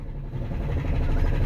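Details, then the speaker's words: Chrysler 300 with a Chrysler/Dodge 2.7L engine, driven under load into the shop before an engine replacement: heavy, deep rumble with a dull knock that grows louder until the engine dies; serious internal engine knock. "It's knocking louder and louder and louder. I'm almost there."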